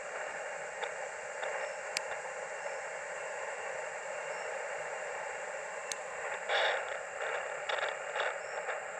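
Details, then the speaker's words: Powerwerx solar charge controller on a 3 Ah battery, no panel, near a QRP ham radio: steady hiss with a faint whine; the noise floor is a steady S2 when plugged in and S3 when handled, so the controller causes interference. "There's definitely noise when I plug it in though. I don't know if you can hear. My noise level is a steady S2 with the charger controlled, charger plugged in."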